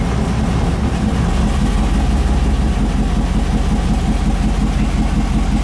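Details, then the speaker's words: 5.3 L V8 turbo Mustang with Turbo 400, exhaust leaks fixed. Low, steady V8 burble with an even rhythm and no ticking or puffing; a clean, healthy idle. "Sounds much better, though. It'll idle nice and low."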